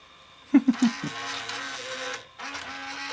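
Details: Sony SLV-676UC VHS VCR: a few sharp mechanical clunks, then a thin motor whir that labours, stops and restarts; tape load fails, unit not recognizing the tape and one tension rod not moving.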